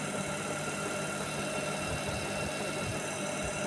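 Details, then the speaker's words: IFB Senorita Aqua VX front-load washer after a drum repair for a knocking sound, on fast spin: an even, steady whirr with no knocking or thumping. The earlier "tak tak" sound is gone and the spin is normal. "Spin நல்லா ஃபாஸ்ட்டாக ஓடுது, அந்த issue இல்லை."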